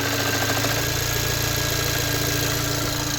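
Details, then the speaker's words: 2017 VW Golf R (MK7) towed in with the low oil pressure light on, at idle with the clutch pressed: a steady, light bottom-end knock. Crankshaft thrust washer failure, with a washer piece found when the oil pan was pulled. "We get it in, start it up, and this is what it sounds like. Pretty bad knock. And then you press the clutch in, and it gets worse."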